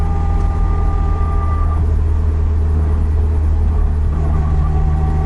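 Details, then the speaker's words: Nissan 200SX S12 turbo on first drive, cruising: thin steady whine under road rumble that changes pitch with road speed, not gear, heard from behind the driver; owner concludes the rear end (differential), possibly running hot. "It changes pitch with speed, not with gear. Therefore, it has to be rear end. Also, the fact that it's coming from behind my head."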